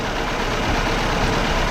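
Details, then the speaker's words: Fiat Panda 4x4 1.2 8V petrol idling with air conditioning on: after reseating a poorly connected earth wire, the electric radiator cooling fan switches on with a steady rushing whoosh over a smooth idle; fan now running normally. "I'll leave it for a bit and see if the fan switches on and what do you know fan is running"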